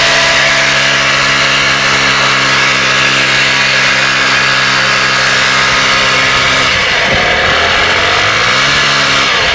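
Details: Vespa Piaggio Ciao small two-stroke revving up and down with a thin, high, vacuum-cleaner-like whine over the exhaust; cause unclear.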